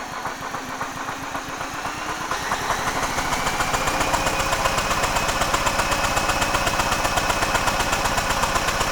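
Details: Generac GP6500E generator engine, previously stuck partway through rotation, spun over by a braked drill with recoil removed: fast even chuffing about four beats a second; cranks freely, compression present but sounds low, minimal leak-down seen.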